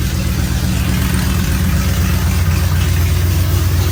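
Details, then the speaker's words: 1973 Plymouth Road Runner, original 318 V8 with new Aces Killshot EFI, running before self-learn, open headers no mufflers: deep loud even rumble about four pulses a second, no knocks or misses; healthy idle. "she runs sounds awesome love open headers"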